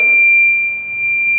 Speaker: आप भी समझ गए होंगे कि यह बीप की आवाज आना ही यह सिद्ध कर रही की इस वाले आपके गमले में जिसम यह प्लांट लगा हुआ है नमी है